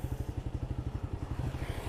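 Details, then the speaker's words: Suzuki GSX-S150 at 35,000 km: slow labored cranking about eight pulses a second with no start; owner blames a battery that charges only intermittently and holds charge about two days, others suggest a battery fuse. "Nah ini malah susah di starter ya. Nah ini susah di starter juga kadang, walaupun aki kalian isi itu kadang juga starternya agak susah guys."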